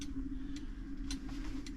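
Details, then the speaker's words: Fusee clock movement after repair, with the brass wire rewound onto the fusee and the movement reassembled outside its case, letting it wind down for testing: crisp, even ticks about every half second over a faint hum, running normally. "so it's running and I'm going to let it wind down and then wind it again it'll take two weeks of testing before I'm happy with it"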